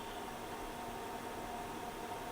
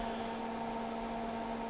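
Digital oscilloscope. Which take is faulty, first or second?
second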